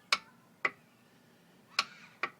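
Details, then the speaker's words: 2000 Sea-Doo GTX Millennium Edition (108 hours) that sat in the water all winter, with a new charged battery: pressing start gives only uneven single clicks and nothing turns over; click-no-crank fault, owner suspects the starter. "Um, this is what it does when I try to start it. Just a clicking sound."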